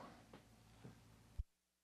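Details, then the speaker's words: Parts Express 240-398 line matching transformer, unit three after reconnecting its cable shield, previously hummed badly: only a faint low steady hum under room noise, then click and near silence; quiet output, clean. "hmm a lot better here in a little hum oh pretty darn good or maybe that's just a room noise"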